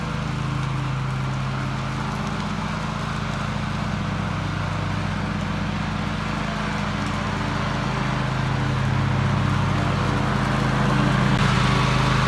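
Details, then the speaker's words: Toro TimeCutter MX 4200 zero-turn twin after replacing both ignition coils for rough running: a smooth, even drone while cutting grass, with no misses under load; ignition now fires cleanly. "i don't like that i'm gonna have to double check a couple things but it runs it cuts running great"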